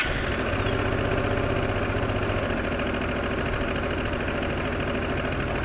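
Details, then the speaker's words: Worn-out old Honda Deauville idling after being preset by hand (wound fully in, then out four turns): a steady, fairly even tick-over with a low regular beat and no misses or knocks, now practical, though a fault code remains. "well we've still got a fault code but we do have a much more practical tick over now"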